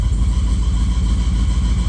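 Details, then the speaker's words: Ford Galaxie hot start at nearly 190 degrees, idle with no throttle: steady low idle with slightly labored, uneven rumble as the power steering pump loads the engine; fluid not low, idle picks up once the pump catches up. "So I didn't touch the throttle. That is the pump trying to keep up or catch up. That'll go away."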